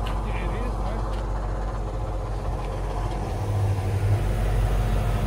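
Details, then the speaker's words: Truck with an 8.1 Vortec V8, lifted off the ground in the shop before swapping the large floater wheels: deep, steady low rumble at idle, no knocks or misses; owner says the motor sounds good despite the noise. "lift it up how noisy that thing is yeah that motor sounds good though"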